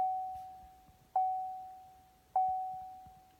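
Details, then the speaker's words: 2012 Chevy Volt after replacing the 12-volt battery, brake held and power button pressed: three clear chimes about a second apart in a quiet cabin, but it never comes ready. Shows battery dead and won't charge; cause unknown. "after replacing my 12 volt battery in this 2012 Chevy Volts the car won't start you can see I've got gas there says the battery's dead and when I plug it in it won't charge"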